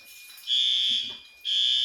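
Loud shrill horn blasts, each about half a second with a short gap between them; the alarm is sounding as it should.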